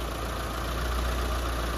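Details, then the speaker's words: Mitsubishi Lancer 4G15 after engine refresh, four new engine mounts: deep, steady idle with even low rumble, no ticking, knocking or hunting, high-tension wire barely vibrating; normal idle. "Walang ka-vibrate mga padi. Tingnan nyo. Ultimo yung high tension wire niya. Kakapirasong vibrate lang."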